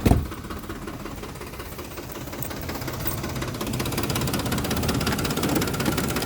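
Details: 2007 Ford F-150 5.4L 4x2 automatic, 119k miles, rough idle after deceleration: unsteady idle with irregular light knocking growing louder, seeming to come from low near the fan, louder on one side; cause unknown.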